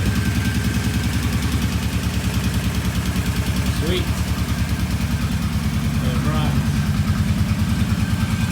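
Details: Kawasaki Brute Force 750 V-twin idling after engine rebuild, new oil filter and conventional oil, battery temporarily fitted; steady even thumping about three beats a second, no ticks or knocks; normal idle.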